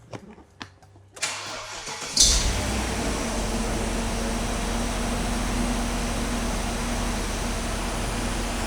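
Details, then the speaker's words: Classic V8, after service, with old fuel and a suspected misfire: cranks about a second, catches cleanly and settles into a steady even idle, sounding better and happier. "It sounds better to me already. That's better."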